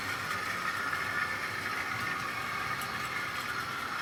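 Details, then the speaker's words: Tri-ang R.152 Class 08 diesel shunter model with ball-race rear bearing converted X04 motor, hauling tanker wagons slowly: even, quiet high-pitched whir holding steady with no knocks or rattles; sounding much happier, running smoothly. "and hopefully you can hear that it's sounding much happier."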